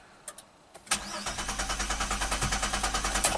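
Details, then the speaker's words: A 2007 Chevy Equinox AWD with 35k miles, after a spare 15A fuse was fitted and codes cleared, cranks with a quick, even starter chug at about three turns a second but won't start. Code P0230 points to the fuel pump relay control circuit; no fuel pressure is suspected. "okay now it sounds like it's a lot of fuel or something"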